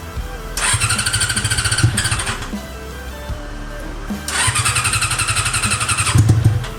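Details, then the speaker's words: Honda CB400 four-cylinder with four square carburetors in an off-road golf cart. Hard rev bursts climb cleanly to full revs, then it sags and stumbles instead of idling. Carb sync is close but not exact; owner feels it isn't firing on all cylinders, cause unknown. "ก็มันเบิ้ลได้นะครับมันเบิ้ลได้สุดเสียงเลยแต่ว่ามันเดินเบาไม่ได้ครับ"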